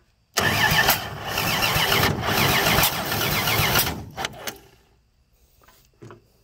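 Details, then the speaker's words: Free 239 3.9-liter V6 first start, fuel poured into carb via homemade adapter; starter churns about four beats a second for three seconds, labored and uneven, never catching; ignition timing too far advanced, no start. "okay got too much advance there don't i let's go back a little bit way too much"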